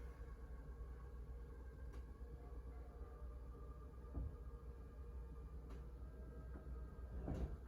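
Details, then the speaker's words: 2024 Forest River Wildwood Grand Lodge 42DL awning retracting: low steady motor drone with a few soft clunks from the arms, stopping once fully in; normal awning motor operation. "So it's back in now. The motor will stop working when it's there."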